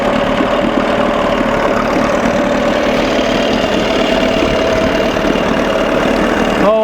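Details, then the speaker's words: 1987 Johnson 6hp outboard running in water after a carburetor linkage fix, mixture screw about 1¼ turns out: a steady, even buzz with no stumbling. Sounds good but still runs cold; owner suspects the thermostat. "oh yeah baby I've got it set at like one and a quarter turn out sounds good"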